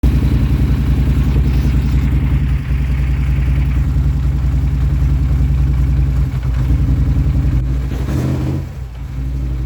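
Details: 2016 Polaris Sportsman 850 ATV engine idles extremely roughly and unevenly, stumbling and sagging, no power, backfiring through the intake; cause was a failing Bosch fuel pump.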